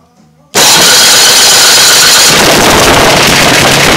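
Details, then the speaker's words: Tecumseh 7 hp small engine that was underwater and seized, freed and given a valve job, carburetor not yet tuned, electric start: catches right away into a loud steady run, no knocks or misses, slightly rich; solid sounding. "but yeah it's a solid sounding engine this engine was froze up"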